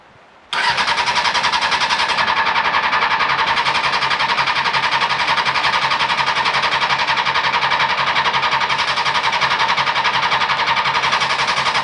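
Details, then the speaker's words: 2000 Honda CBR600, non-runner pulled from a hedge, on a booster pack with choke on: steady even cranking at about four beats a second for over ten seconds that never catches; immobiliser not recognising the key. "It's not looking promising. Right. No cigar so far."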